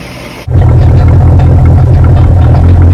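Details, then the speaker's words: 1967 Chris Craft Roamer yacht, Ford 427 (the previously locked-up one) after 11 years sitting, restarted with more fuel in carburetor: catches at once into loud, deep, slightly uneven V8 rumble; idles fine, needed starting fluid earlier. "It did need starting fluid, and it did have a lot more gas in it, but it idled just fine, didn't seem to give us any issues."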